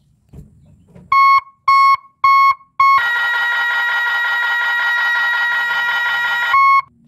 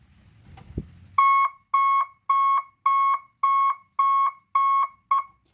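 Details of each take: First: Three-tone reverse alarm on an Isuzu Giga 24 V truck, testing reverse with brake applied: three short beeps, then a continuous steady warbling tone for a few seconds; combined tone sounds correctly. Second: Three-tone reverse alarm on a 24-volt truck, red wire connected: clean mid-pitched beeps about twice a second in a steady on-off pattern; reversing tone working as wired.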